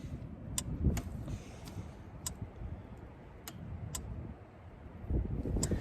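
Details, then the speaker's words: DIY off-grid solar-powered fence energizer with battery, lid opened: sharp regular ticks roughly once a second over low outdoor rumble; energizer firing pulses normally. "Right now, I don't know if you can hear it. I'll open it back up for you. You can hear it clicking away."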